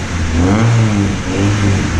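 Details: Honda Civic with its stock muffler, before an aftermarket muffler install; short rev blips rising and falling smoothly with a deep, even exhaust note, no rattles or misses.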